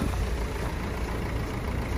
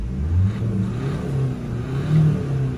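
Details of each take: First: Renault Scenic 3 1.5 dCi 110 bhp Euro 5 after replacing number four injector, cold freezing day: steady idle on four cylinders with faint diesel knock; owner suspects cold or the uncoded new injector. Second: Renault Scenic 3 1.5 dCi 110bhp Euro 5 diesel after injector replacement and coding with a borrowed tool, heard from outside; engine revs up and settles several times, deep and even, no knocking; it still knocked when cold until the injector was coded; normal running.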